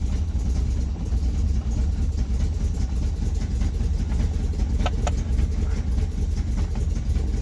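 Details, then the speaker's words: 1964 Austin Healey 3000 Mk 3 six-cylinder, cold start after weeks unused, full choke: lumpy, uneven low rumble with stumbling beats, not yet firing on all six; cold-start misfire, later clears. "so close but it's not yet running on all six and we haven't yet seen anything on the rev counter"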